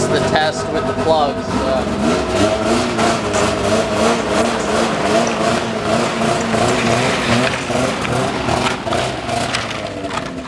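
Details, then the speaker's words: Arctic Cat ZL600 EFI two-stroke snowmobile: revs waver and sag into a flat, choking drone instead of climbing. Engine bogging under throttle; owner suspects the dry-rotted boots, not confirmed. "don't know if you heard that, but yeah, you hear it bogging now. Definitely a hard no on that. Yeah. Still bogging."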